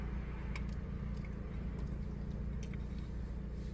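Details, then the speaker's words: 2004 Chevrolet Malibu 2.2L Ecotec after upstream oxygen sensor replacement, running steady with no knocks, ticks or misses at about 2000 rpm dropping below 1000, no hesitation or jitters; downstream sensor judged not needing replacement. "So there is no issues right now. The engine is roaring. Hopefully you can hear it. 2000 RPMs. Drops down below 1,000. There is no hesitation. There is no jitters."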